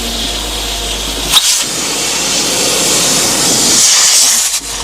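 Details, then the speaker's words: Punctured tractor tyre leaking through a sidewall hole: steady high hiss of escaping air, no engine behind it, slowing as the tube deflates, with odd noises like a jack going up; deflating, but not overly quickly. "It's It's stopped hissing at me as quick. It's making some weird noises now. It's almost like it's sound like a jack going up."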